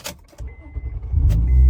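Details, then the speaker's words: 2020 Toyota 4Runner started with a newly programmed copy key: short crank that catches quickly and settles into a steady low idle; the engine starts right up normally. "Yep, started right up. So I was able to program the keys, very easy step-by-step instruction."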